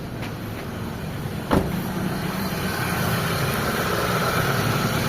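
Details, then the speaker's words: Mitsubishi Lancer run again after sitting unused for a long time, with a non-working idle servo (about 1100 rpm, dropping to 800 rpm with the aircon on): one sharp click, then a low, steady, quiet idle with no tapping or knocking. Rusty radiator, dirty engine. Normal idle. "Ayan mga bossing. So tahimik na may makina."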